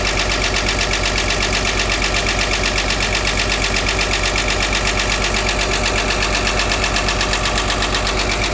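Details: Caterpillar excavator: loud steady engine run with a regular beat about 160 a minute and a harsh metallic rattle over it; abnormal noise from the compressor at the back of the engine.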